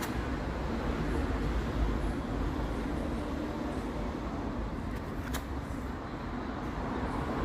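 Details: Car driving: steady low droning roar with vibration, sounding like a worn wheel bearing but caused by a deformed tire that visibly jumps.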